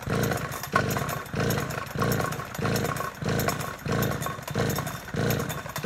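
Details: Two-stroke chainsaw, deliberately flooded with the choke, started with the choke pushed back in and the throttle held open: it catches and runs with a clean roar, surging about once a second; flooding cleared, normal running.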